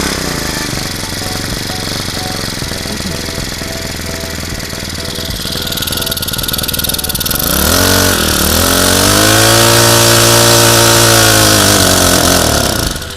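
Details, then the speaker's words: Honda GX35 four-stroke brushcutter engine after carburetor cleaning, new fuel lines and new plug, running an aftermarket carburetor: buzzes at fast idle then speed sags and surges unevenly; unstable running, aftermarket carburetor to be replaced with genuine Honda. "这颗化油器的话呢，可能还是必须要换掉了哈。这个副厂的稳定度，依照我们长期这样测试下来，它的稳定度还是没有这么高，稳定性没有这么高。"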